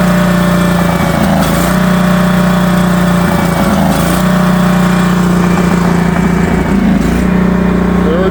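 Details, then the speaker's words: Northstar 10000 10 kW auction generator running on old gas with the choke partly in: loud, steady drone with a slightly uneven lope and occasional surges; rough running from a dirty carburetor, left running hoping it burns clean. "Carburetor's dirty. Choke's only partially in. I just tried a couple more times, like two more times to start it with It's running so I'm hoping it'll just burn through the dirtiness in the carb by itself."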